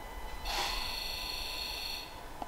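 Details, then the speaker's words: Ford Ranger PX diesel (2.2/3.2) with all injectors fired in the Forscan self-test buzz test: an even, high-pitched electric buzz cuts out and resumes crisply, each injector sounding the same. Healthy injectors, no inconsistencies. "so as you can hear the injectors are firing now so [Music] so as you could hear by that injector test each one sounded just like the other there weren't any set of this you know inconsistencies or anything with the sound"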